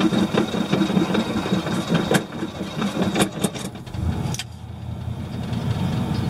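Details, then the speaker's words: 1979 Chevrolet K20 Custom Deluxe square-body truck, V8, just after start: a thin steady high squeal over a rough idle from the alternator pulley, worse than last time and due for repair. Alternator pulley squeal. "now I've got a alternator pulley squealing right now that sounds horrible that's on the list of things to do here right away"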